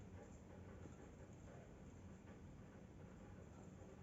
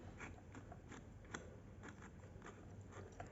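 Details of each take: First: Sony TC-560 tape deck DC motor after remounting and tightening its screws one by one to cure a grinding noise: low steady even whir with faint trace of roughness, nearly silent, much better than before; normal motor run. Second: Sony TC-560 tape deck DC motor running normally before repair: faint irregular gritty grinding crunch with scattered ticks; magnetic material of the speed-sensing mechanism was falling apart inside the motor.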